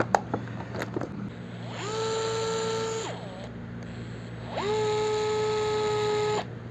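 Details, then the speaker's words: DeWalt DCF682N1 gyroscopic cordless screwdriver, heard up close: the motor spins up to a steady, clean whine, holds it evenly, then stops, twice; smooth and healthy, apparently at low rpm. "pada saat kita menekan tombol ini dia belum berputar tapi ada getaran di dalam di WordPress kopi ini Kwon Oh sangat halus ya karena mungkin rpm nya rendah"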